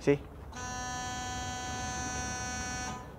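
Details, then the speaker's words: Thermo King MD 100 refrigeration unit, fuel pump test via Cab Command without starting the engine: steady buzzing tone for about two and a half seconds, pre-start warning while the fuel pump primes; normal. "you hear that boys prom warning for the engine starting see"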